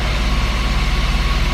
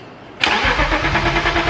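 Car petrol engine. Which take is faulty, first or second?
second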